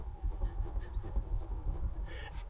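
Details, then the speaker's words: 2022 Tesla Model Y (HW3), driving: dull low thumps in quick uneven bursts over road rumble, a knock (sometimes squeaking) present for four months and getting louder; owner suspects the rear strut top mount. "We've got a knocking noise. It appears to come from the suspension strut uh top mount."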